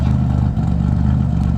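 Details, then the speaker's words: Car warming up at idle after RJC V-band exhaust gasket install: deep, steady exhaust burble with even pulses, no ticking or puffing; no more leaks, sealed and healthy. "i like the way that sounds there's no more leaks you know she's far enough a little bit better"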